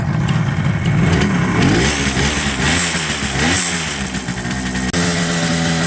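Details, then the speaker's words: 1978 Kawasaki KH400 two-stroke triple, long in storage, after carb work to cure running on two cylinders: crisp, even crackle with steady revs on all three cylinders, no misfire; now running cleanly on three. "and now it's running on three [Applause] yay but let's just double check oh yep nice worth doing rev it up properly man there it is running"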